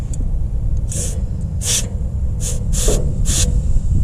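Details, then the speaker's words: Stanadyne/Roosa Master injection pump being installed on a John Deere 2030 tractor: air blown through the return line gives five short sharp hisses passing freely into the tank; clear fuel return line. "here so your return line is clear it won't build up any excessive housing pressure and cause any problems so we know that's good"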